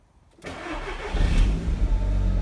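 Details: Audi TT Mk1 after fuel pump replacement, first start attempt after priming twice: brief crank, then catches straight away and settles into a smooth, steady idle; clean normal start.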